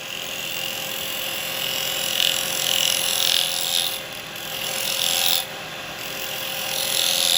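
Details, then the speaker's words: Woodturning a miniature cowboy hat from seasoned wood with a carbide chisel: a harsh, buzzy hiss that swells and fades with the tool as the thin brim chatters. "the Final Cut mustn't make that noise did you make that noise on your final cut these are gonna have a bit of chattering on there"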